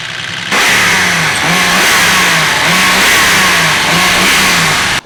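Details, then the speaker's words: Turbo E36 wagon rebuilt engine first start-up, with muffler, revved: strong clean note rising and falling in repeated blips, even; head slightly noisy from unbled lifters, otherwise healthy. "get quieter as we rip on it but it sounds incredible like one thing this engine does have is it does sound really good yeah it's a good note especially with the muffler and stuff"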